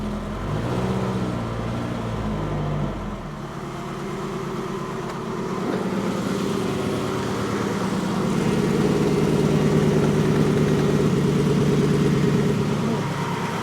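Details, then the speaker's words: 1954 Ford F600 V8 car hauler after cleaning rich-fouled plugs and swapping coil packs between cylinders: uneven loping idle after a rev, still missing; the miss was traced to cylinder eight. "Checking the exhaust and it feels like it's still missing."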